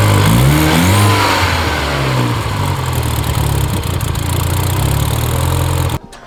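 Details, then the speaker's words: Mini Cooper R56 after new valve cover replacing cracked, hissing one, PCV plug removed: loud start, blatting chuffing exhaust and hunting idle; valve cover leak fixed, exhaust leak at downpipe gasket with a missing bolt. "we got rid of that leak, but this exhaust leak is pretty bad. This leak in the valve cover is gone though. Idle's kind of wacky."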